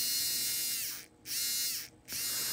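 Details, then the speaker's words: Arbour Models kit locomotive, Buehler motor after oiling: smooth, high-pitched steady hum, briefly stopping twice then resuming evenly; good strong runner with good torque. "like a good strong Runner good torque"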